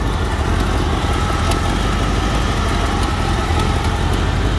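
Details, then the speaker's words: 88-98 Chevy truck after carbureted engine and manual transmission swap: deep steady V8 idle with a faint ragged puffing edge from exhaust leaks; all else reportedly fixed. "got exhaust leaks but all the rest is fixed it looks good it looks really good"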